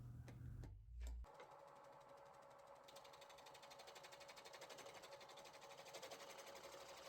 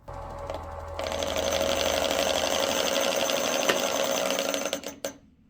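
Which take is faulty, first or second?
second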